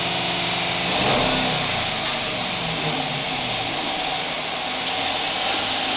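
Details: Jeep Cherokee 4G, cold, after injectors cleaned and coils and spark plugs checked: rough, uneven rev with a stumbling beat, scanner showing misfire on cylinder 5, check-engine light flashing; caused by seized lifter and worn cam lobe.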